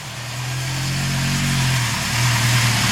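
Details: 1974 Honda CB750 four-cylinder SOHC with about 250,000 km, four carbs; smooth, even idle with a steady hum settling as it warms, healthy engine. Oil light stays on from a wiring short, not low pressure, with the gauge confirming pressure.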